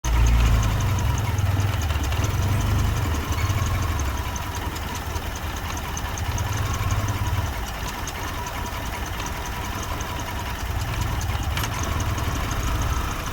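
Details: Car engine idling with a low, uneven rumble that lurches and drops, shaking and vibrating violently; rough idle, with a bad MAF sensor, cylinder misfire or dirty air or fuel filter suspected.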